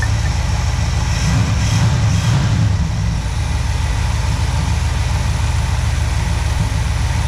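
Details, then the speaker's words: 1966 Pontiac Catalina V8, a long-sitting formerly locked engine now revived, idling at a steady 18.5–19 inHg vacuum: a deep, even rumble with no misses, stumbles or knocks, a healthy idle. The fan wobbles. "pretty close to 19. The needle's staying nice and steady."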